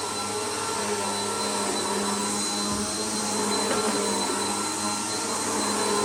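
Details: Bissell PowerLifter bypass-motor vacuum after a full service, tested on carpet at middle height setting: steady high motor whir at constant pitch, no grinding or rattling; running normally.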